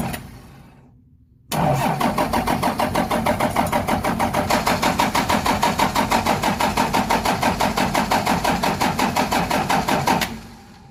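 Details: 12-valve Cummins diesel in a '75 International, just fitted with new injectors, lines tightened after bleeding: steady cranking at about three compression beats per second for eight seconds, never fires. Owner suspects more bleeding needed or a bad pump.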